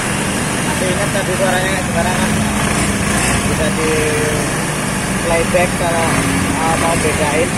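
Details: Honda Scoopy carburetor G2 scooter after CVT repair, where damaged rollers had caused a harsh CVT noise: even, steady engine note with no rattle or rough grinding from the drive side; normal CVT running.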